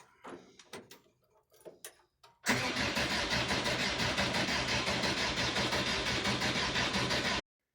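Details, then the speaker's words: 1986 VW T25 1.6 JX diesel, sitting since 2017, new earth cable, blown 20A starter fuse fixed, fresh diesel: about five seconds steady fast cranking without firing; suspected air in fuel lines, injector cracked to bleed, unconfirmed. "So I think what I'll do now is, I can't see any manual way of bleeding, so I'll just crack off an injector top, crank it again, and could be just air."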